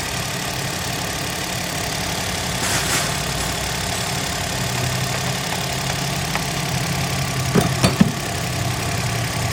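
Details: Suzuki Alto 2012 petrol engine, very cold, just started after tappet adjustment done without removing the head: steady, even idle with a smooth low hum, no misses or ticking. Jammed tappets had caused hard cold starts, hunting rpm and a P0301 cylinder-one misfire; no codes now, running cleanly.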